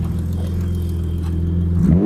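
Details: BMW E32 730i in winter after cleaning mold from inside the distributor, fixing rough start and idle: even, steady idle with no misses or hunting, then a clean rise in revs; running smoothly.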